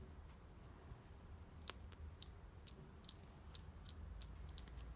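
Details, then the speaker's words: Stahlwille 435 3/8-inch drive ratchet after cleaning and greasing, operated by hand: crisp, light clicks in short irregular runs, no grinding or catching; ratchet works smoothly and sounds normal. "also, here you can see how it sounds. It sounds simply perfect. Every good ratchet deserves to be greased."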